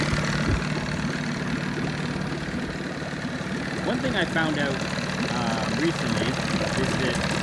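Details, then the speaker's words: 1987 Johnson 9.9hp two-stroke outboard after replacing top and bottom crank seals and spark plugs and tuning the carb: low, even, steady idle with no stumbling, very little smoke, good compression; normal idle. "Start it up. Really idles down nice. Very clean. Very little smoke. Still has really good compression."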